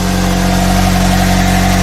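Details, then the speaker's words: Kia Soul engine idling, heard under the hood after valve cover gasket replacement with bolts torqued to 45 in-lb: smooth even idle, steady low hum, no knocks or ticks; runs great, oil leak fixed. "As you can hear, the engine is running. The engine runs great."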